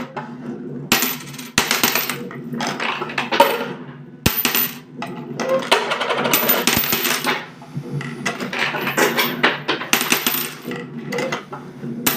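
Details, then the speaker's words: Homemade fairground coin pusher under test, machine laid on its side: irregular bursts of bright metallic clatter as coins spill off the ledge and drop, lost-coin path included; working normally. "Voilà, vous voyez, ça marche bien. Hop. Entendez, ça tombe. Donc les pièces perdues, ça marche bien aussi."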